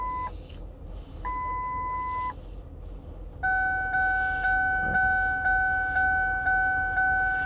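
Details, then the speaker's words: 2000 Lincoln LS idling after a warm start with the door open: steady two-tone warning chime repeating about twice a second over a quiet idle; owner suspects a non-working gas gauge, lit yellow fuel light and open doors. "A lot of beeping. I think that's because of the gas gauge not working and the yellow fuel light being on and the doors open."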